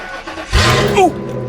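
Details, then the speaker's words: Truck started after sitting a few days: harsh, loud tractor-like rumble from open exhaust because the catalytic converter was stolen. "what what the hell was that it sounds like a freaking tractor wonder if the muffler blew out or something what holy [ __ ] Oh some toothless son of a [ __ ] stole my catalytic converter"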